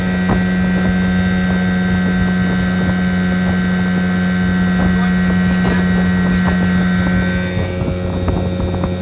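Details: 1980 Evinrude 15 outboard after a carb rebuild, new water pump impeller and rebuilt fuel pump, on its first hole shot at full throttle: a strong, steady drone holding pitch under wind noise, with no misses or rattles. Running normally.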